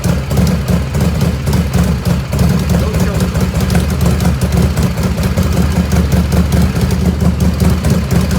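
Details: 1985 Harley FXRS Evo, carburetor just reassembled, battery had been dead, choke off: steady even V-twin lope at idle, regular firing pulses, no misses or hunting; idle jet mixture pretty close.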